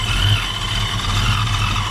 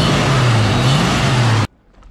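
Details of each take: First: 1987 Ford Mustang LX 5.0 automatic with Vortech A-Trim supercharger, converted back to speed density: loud lumpy idle, uneven pulse and hiss, missing and hunting; owner suspects a vacuum leak or missing supercharger piece and says idle needs setting, EGR not working. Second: 1987 Ford Mustang LX 5.0 V8 automatic with Vortech A-Trim supercharger, converted back to speed density; it bogged with the EGR vacuum connected, and now idles with a smooth, even low rumble, no stumble, before shutting off: normal running.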